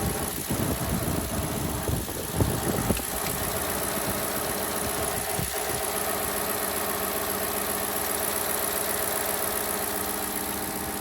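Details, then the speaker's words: Ford truck with 10R80 automatic transmission: the engine runs with a constant loud high-pitched transmission whine on top; cause unknown. "I really love it except for one actually really annoying issue. It's got a noisy transmission. Not a little bit. Really noisy."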